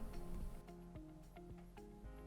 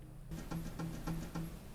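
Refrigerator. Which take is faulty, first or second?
second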